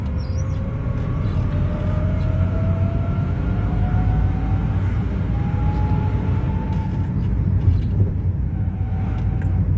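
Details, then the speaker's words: Renault Sandero on a road test, noise starting after about a minute of driving: fine in first, then a howl in third that climbs with speed. The gearbox is growling and needs removal and teardown; an earlier gearbox boot replacement did not fix it. "Aí, ó, o barulho. Olha o barulho do câmbio roncando."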